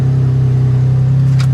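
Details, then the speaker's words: Pontiac G8 at 167,699 miles, front-end collision history and service airbag light, running on a jump after the ground was relocated: smooth steady low idle hum with an even beat and no knocks or misses; normal idle. "I mean, it runs great, I think."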